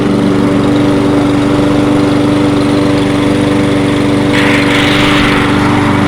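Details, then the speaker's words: Toro 22-inch Recycler mower running, smoking as it burns off excess oil; holds a steady, even idle with constant buzz, no misses, surging or hunting; running healthy. "i'm gonna let it run let it burn it off got a lot of oil look at this thing holding a steady idle"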